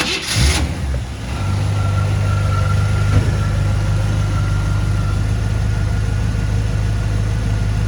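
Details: 1957 Chevrolet 210 sedan with 350 V8 and Turbo 400, recent mechanical upgrades: cranks briefly, catches cleanly and settles into a deep, steady, even rumble with no misses or knocks; normal start and idle.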